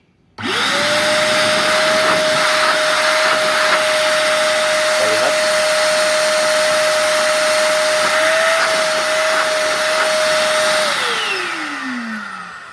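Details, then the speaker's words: Multipro (INA VC 10) wet/dry vacuum cleaner, about 1300 W: motor spins up to a steady even high whine for about ten seconds, then winds down smoothly; fairly loud, suction very strong. Normal running. "ini on off-nya di sini suaranya cukup kencang ya atau cukup besar suaranya kita coba untuk daya hisabnya"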